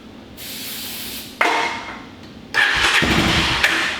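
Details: Honda Fourtrax TRX350 barn find that sat 26 years with bad old fuel, spark unchecked: two short rough bursts of firing on starting fluid that catch and die within a second each. The engine fires briefly.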